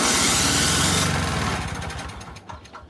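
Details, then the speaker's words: Two-stroke electric-start snowblower, first start of the year, full choke: starter spins the engine fast and evenly but it never catches; even with starting fluid it won't stay running, so spark is present. "almost sounds like it wants to go but it doesn't so grab starting fluid throw it down there even with the choke all the way"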